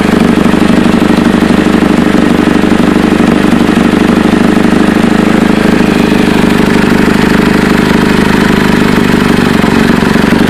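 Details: Chevy Cobalt exhaust leak at idle: loud, coarse puffing tick about three per second over steady idle, like escaping gas; owner unsure whether flex pipe, manifold or both, and whether gaskets or whole pipe needed.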